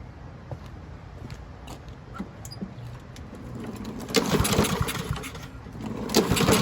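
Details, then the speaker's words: Trash-found Husqvarna push mower after spray-cleaning the carburetor without removing the jet: small engine runs unevenly, stumbling and surging; possible remaining jet blockage suspected, fuel cleaner planned. "heck yeah got us a running mower now is it perfect no"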